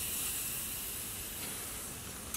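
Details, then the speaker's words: New AC condenser on a 2016 Honda CR-V during compressor and condenser replacement: steady airy hiss over two seconds as the 10 mm protective plug on the top line is removed; part was pressure tested and held vacuum. "as I remove this plug so that gives me some confidence in replacing this condenser knowing that this part was in fact pressure tested and there was still a bit of a vacuum in there"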